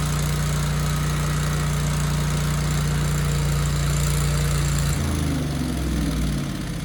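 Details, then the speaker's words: 24-year-old Generac 10000EXL with a Briggs V-twin, unused 8 years, after rewiring and flipping the magnetos, started without choke: even idle for about five seconds, then it sags and stops with no power output; fuel or spark suspected. "Okay, that started very well, actually, without the choke on."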